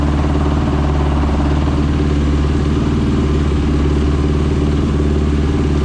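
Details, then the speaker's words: Rebuilt Honda TRX450ER with a Yoshimura exhaust on first start, carburetor O-rings leaking: a fast, harsh, slightly uneven single-cylinder idle. The exhaust glowed red quickly; owner suspects the carburetor isn't jetted properly, possibly running lean. "now that don't sound good that don't sound good at all i don't know if i like that"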